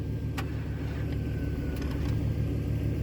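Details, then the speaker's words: 2003 Chevrolet Trailblazer with the aluminum 5.3 V8, sitting four years, cranking in cold weather; low, even churning about three pulses a second that doesn't catch yet; it rolls over fine, and it fires shortly after. "It does roll over though, so that's good."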